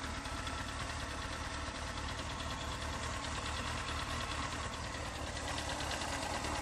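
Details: Honda CBR 954RR at idle: crisp, rapid tick in time with the engine from the front near exhaust manifold, softer cold since oil change, louder when very hot and with rpm; source unknown.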